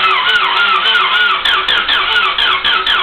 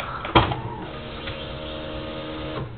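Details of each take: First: Honda DC2 with the fuel pump priming and the battery nearly fully charged: steady even cranking at about four beats a second for seven seconds without a single firing; cranks but will not start. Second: Honda DC2 that won't start, battery nearly fully charged: click at key-on then steady electric buzz about two seconds that cuts off cleanly; fuel pump priming normally, but engine still won't start.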